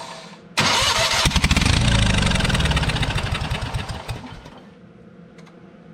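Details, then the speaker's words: Old Spider forklift with its carburetor cleaned and the choke just fixed. The engine catches, runs rough and smoky for a few seconds, then dies; it only stays running with the key held on. "definitely something going on here it only stays running if my keys on"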